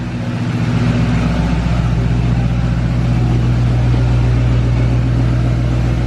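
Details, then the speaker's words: 2020 Duramax L5P diesel, cold, just fitted with a new Stealth 67 turbo meant for 2017–19 trucks, reduced engine power: a deep rev with no spool whistle or hiss; owner suspects the turbo actuator isn't working. "I bet the actuator's not working. It has to be that because there's no hiss to it at all."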